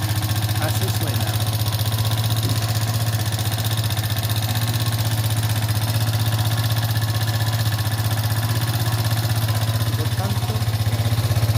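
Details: Haojue DR 160cc single-cylinder motorcycle at idle, about four beats a second, with a faint extra ticking from inside the engine of unclear source. The engine is to be disassembled. Abnormal engine noise.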